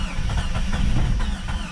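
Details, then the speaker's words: Free Jeep Cherokee, cranked with starting fluid: low chugging starter rhythm with weak puffs, never catches; owner suspects the old gas. "on baby attempts number 25 she's just not happy I guess I'm gonna go get a couple gallons of gas put that in there maybe it's the old gas that's not helping"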